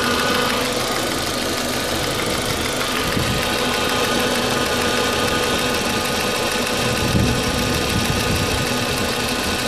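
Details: 2004 Audi A4 B6 1.8T idling roughly after a new water pump (cracked impeller caused overheating) and new timing belt: uneven lumpy beat around three pulses a second with some hiss; cause unknown.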